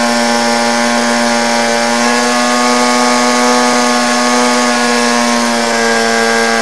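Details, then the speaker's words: Hybrid drone generator (auxiliary power unit), 130 kV generators, throttle increased to take load off batteries: constant high even drone, steady in pitch and level; normal running under load. "as I increase the throttle you'll see that the upper will begin to carry more of the load also notice that the whole page is remarkably stable"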